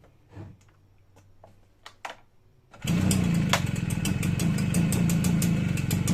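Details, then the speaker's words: Stihl BR 340 backpack blower two-stroke, after water in fuel cleared by pulling with plug out, no starter fluid: catches and settles into steady even buzzing run, runs good. "okay guys so it runs good that's it i didn't use starter fluid i just took the plug out and pulled it a bunch of times"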